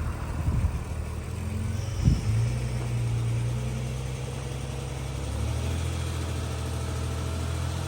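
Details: Jeep Cherokee after the wiring repair: a low, steady idle with a couple of early blips and no longer the heavy misfire, which came from a faulty injector on cylinder 1. Some leftover fuel smoke is still clearing.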